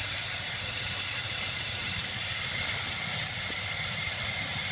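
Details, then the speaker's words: Ford 6.0 diesel, no-start when hot, engine hot (160–170 degrees) with valve cover off, shop-air leak test: constant sharp hiss with little engine noise; high-pressure oil leaking at number 7 injector, seals damaged, retaining ring missing. "What I end up finding on the injector back here on number 7, once I pulled it out, you can see the seals damaged and no more retaining ring."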